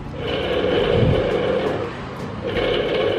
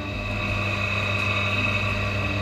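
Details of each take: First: National household water pump with weak water delivery, running on the bench: rough, gritty hum and rasp that never smooths out, worn motor bearings (6290/6291) need replacing. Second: National water pump that had a rough noise and no water flow, after repair: steady even hum at constant pitch with no grinding; normal smooth running.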